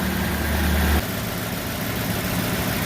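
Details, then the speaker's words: Ford 5.4 F250 Super Duty after replacing a cracked passenger-side exhaust manifold with a broken stud: a low, even idle; a brief initial exhaust leak quieted right down. Normal idle. "starters in firing a hole pretty quiet on this side I heard an exhaust leak to start with but it quieted right down"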